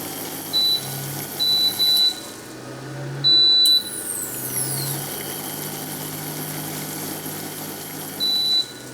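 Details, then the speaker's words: About 1.6 kW solar inverter board with ATS, still overloaded by a heater load that has not been removed: high-pitched short beeps come in uneven bursts over a low hum as the inverter overload alarm sounds. "Kalau beban heater, ini udah overload dia tadi, belum dilepas."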